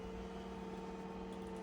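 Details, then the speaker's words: Burstner Ixeo Time It 590 motorhome electric drop-down bed, key-operated, being raised: quiet steady electric hum at constant pitch, no grinding, clicking or strain; bed lift motor running normally. "that when you got these electric drop down beds I always like to show them working"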